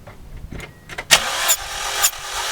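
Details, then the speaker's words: Hyundai Elantra under misfire diagnosis, compression test while cranking: the starter spins with even puffs about twice a second and no catches or weak strokes; this cylinder reads about 60 psi or more, so compression is fine. "is also going about 60 or more so this cylinder seems good"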